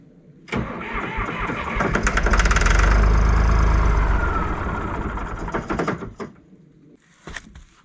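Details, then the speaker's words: John Deere 350B crawler dozer diesel, parked long with a fresh battery and low fuel, cranks with steady chugging, catches and roars a few seconds, then dies; oil pressure rises when it fires; fuel shutoff later found stuck. "The good news is, as soon as it fires up for that little bit, oil pressure shoots right up, so that's a good thing."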